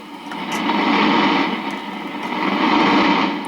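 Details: Accutrak VPE-GN PRO ultrasonic leak detector passed over a pressurized gas pipe: rushing hiss swells and fades twice over the baseline static as the probe crosses the leak.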